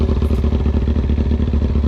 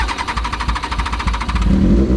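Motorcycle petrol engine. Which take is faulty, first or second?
second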